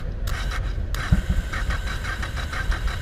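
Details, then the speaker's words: Honda Shadow 500 V-twin, first start after 3–4 years apart, starter jumped manually, in neutral: rapid even cranking with a couple of sharp catches; trying to fire, then starts running on front cylinder only. "Oh, come on, she tried to fire right away. Come on, baby. Come on, baby."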